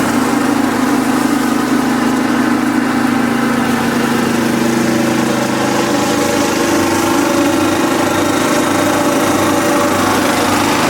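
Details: Kubota riding mower, sat years after dying with a horrible noise, now running: loud steady with rough fast ticking over the engine note; owner calls it a horrible lifter tick, suspects a slightly bent valve, but runs pretty good.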